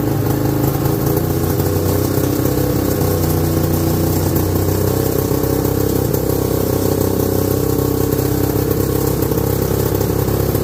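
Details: 1969/70 Sears snowmobile, single-cylinder Kohler two-stroke, sat outside a year, first run after revival: uneven wandering idle, ragged firing, never smooth; owner says it's sucking air, running lean.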